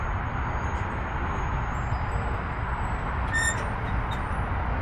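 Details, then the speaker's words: Dodge Challenger/Charger Scat Pack at idle, heard from under the car: deep exhaust rumble with a brief bright metallic ring from the active exhaust valve squeak/rattle. "Yeah, so that's the active exhaust making that noise."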